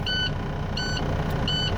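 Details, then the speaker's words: Truck air brake test starting with all air tanks at zero: engine idles while repeated short high-pitched beeps sound, the low air pressure warning for empty tanks. "let's start up the truck you're gonna hear you're gonna hear some loud noises it's going through its checks here we go that's our audible sound for our area seeing it's empty"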